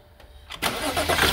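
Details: 2013 BMW X5 3.0 xDrive with a hard-start ground fault, started with an extra ground from the booster directly to the engine and charging around 15 V. A short crank catches almost immediately into an even idle. Without the extra ground it goes dead again.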